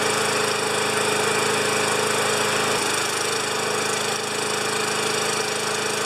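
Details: 29-year-old Rally electric-start mower, little gas added to tank, pumped a few times: loud, rattly single-cylinder putter holding a steady, even beat with no stumbling; running normally though not quiet.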